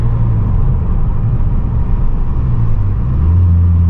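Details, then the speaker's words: 2012 VW MK6 GTI 2.0T after installing a Go Fast Bits DV+ diverter valve replacing a leaking stock one, accelerating in second gear: deep even drone climbing smoothly, turbo audible but no whistle or scream; pulls cleanly. "Yeah, it feels way better than yesterday. This car felt so sluggish. Feels good though. And I don't hear, you can hear the turbo, but we're not hearing that crazy like whistling sound, like that scream."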